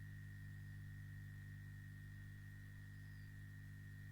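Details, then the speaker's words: Hot air soldering station just plugged in via an extension cord: a faint, constant low hum from the air blower inside the box with a thin steady high tone, no rattle or wobble; the blower runs normally. "Once I plug it in, you could hear a low hum, and that is the air blower that is inside the box."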